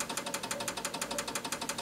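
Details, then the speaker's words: Advantest R6581T 8.5-digit multimeter with fast, even relay clicking as it fails to auto-range, and it also shows a false overload. The owner suspected a bad battery; replacing the battery and running an internal calibration fixed it. "Hear that clicking? Trying to auto range and it can't do it."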